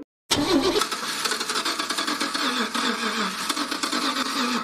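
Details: Car cranking: fast starter whirring for several seconds with a few weak attempts to fire, but the engine never catches; cranks but won't start, cause not confirmed.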